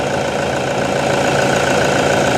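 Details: Toyota Vigo 1KD diesel after an injection pump rebuild, idling to reach temperature before pump relearn and a road test: even, steady idle clatter with no uneven beats or misses; sounds healthy.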